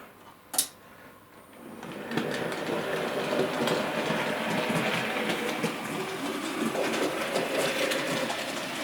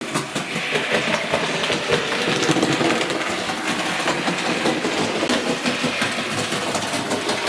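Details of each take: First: A.H. Peppercorn model locomotive after replacing faulty drive wheels, running in reverse: even light whirr and steady ticking, clunking gone, quartering correct, running smooth. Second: A.H. Peppercorn model locomotive running, also slipping its wheels under load: rapid, uneven clunks two or three a second from a split main drive gear; fixed by fitting a new wheel set.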